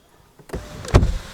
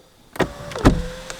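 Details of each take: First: Mahindra XUV500 W9 automatic (2020), after its 2nd service: sunroof opening with a brief smooth motor whirr and soft clunk, no rattle, buzz or vibration; sunroof works normally. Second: 2020 Mahindra XUV500 W9 automatic, about 5,364 km: sharp clunks as the sunroof starts opening, then thin motor whine with rattling and vibration felt at the rear of the car; sunroof noise, cause unclear.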